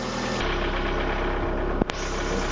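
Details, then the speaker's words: VAZ 2170 Priora, warm idle after 10 minutes, following an oil change from Shell 5W-30 to 10W-40 with a XADO additive: steady, even idle with no knocking; the earlier knock is now blamed on the ignition coil, not the hydraulic lifters. "вот после 10 минут работает двигателя прогретого уже мы видим щоб ближчим вернее все никаких посторонних звуков стукав не обнаружено"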